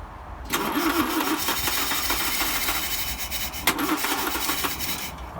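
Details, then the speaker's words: 1955 Land Rover Series One, freshly rebuilt engine unrun about 50 years, refurbished starter, timing being set at distributor: uneven cranking catches into a few seconds of ragged running then dies; owner suspects fuel pipe connection. Rough cranking and brief running. "okay so however briefly that was that was running on its own i think the problem is now um where those two fuel pipes connect we bypass"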